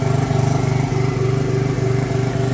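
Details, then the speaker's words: Polaris ATV small single-cylinder engine after carburetor ultrasonic cleaning idles steadily but a bit high, quick even putts about ten a second; it ran poorly once warm. "you can hear it idling a little high, my son was riding it yesterday and it got warm and started not liking it."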